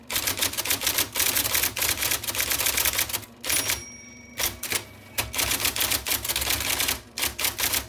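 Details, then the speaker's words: 1979 IBM Selectric II (non-correcting) typewriter, revived after fixing miswired plug, cleaning, flushing and lubricating. Quick crisp type-ball strikes in irregular bursts with short pauses, clean carriage action, no drag or misfires; types as fast as you type; normal typing. "Oh, I made a mistake. And another one. So it will type as fast as you can type."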